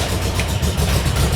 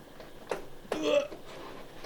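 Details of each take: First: VW Kombi during restoration after dash install and rewiring; engine runs but deep, uneven, lumpy idle, not running its best; cause unknown. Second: VW Kombi during restoration after dash installation and rewiring: clicks and fumbling, then engine catches cleanly and settles into steady even idle with no misses; generator light goes out indicating charging; normal start and idle.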